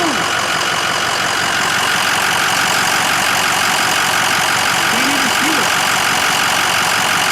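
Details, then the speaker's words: Ford Excursion diesel idling after a Blue Spring fuel pressure regulator kit plus fuel and HFCM filter changes: smooth, even idle, quieter with a deeper tone and less rattle than before; very little vibration, no knock. "the idle it's a lot quieter it's idling really smooth very little vibration and um it's kind of like a deeper tone to the idle it's not quite as rattly if that makes sense"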